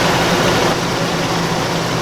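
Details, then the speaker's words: Chevy Suburban with a P0641 code, started after reconnecting the MAP sensor, check engine light still on: catches and settles into a steady, even idle with no shaking or stumble, normal idle. "Well, no shakes any more than normal. Let me give it some gas, see if I have any problems."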